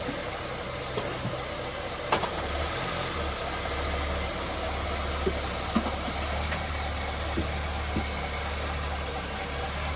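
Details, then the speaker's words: 2012 Honda Civic, idling after a Liqui Moly engine flush and a Valvoline 5W-20 oil change with Lucas oil treatment: low, even hum with only faint light ticks; super quiet and smooth. "So guys, the engine sounds really quiet. Like when you listen to this, it sounds really quiet. Super quiet."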